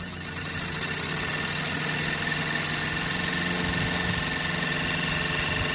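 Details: Sirius two-cylinder steam engine driving an alternator from a water-tube boiler, output 20 volts at about 3 amps into a battery and the field; steady even exhaust beat about 3.7 per second with light clatter, running smoothly.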